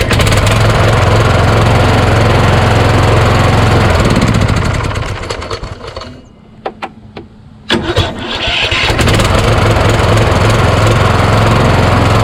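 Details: Craftsman YS4500 lawn tractor repowered with a Kohler Courage engine, about 36°F cold morning: engine runs, dies away, then labored starter clicks and grunts before catching; starter hangs on the compression stroke despite double shims added to the starter mount.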